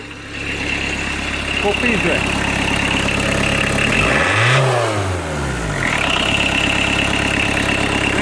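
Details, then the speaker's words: Fiat Doblo 1.9 diesel, about 350k km, converted to a mechanical injection pump (SDI-type, 9mm head, 70hp): after a rev it settles to a fast, busy idle set slightly too high; no revs above 3k because the computer cuts it. "a bit too much idle no revs, because of the computer, it kills the system above 3k"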